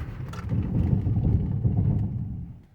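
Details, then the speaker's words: 2018 Nissan Murano Platinum AWD braking hard on snow at decent speed: a low, rough buzzing rumble for about two seconds as the servos on the ABS pump/module cycle, normal anti-lock braking activation. "do you hear that sound those are servos on the abs pump abs module abs anti-lock braking system"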